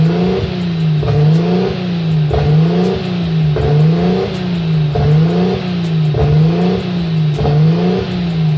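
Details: RB25 Neo engine with a high idle: the idle hunts up and down about every 1.3 seconds. Propane tests pointed away from an air leak, and a sensor was suspected; the cause was the throttle plate set too far open.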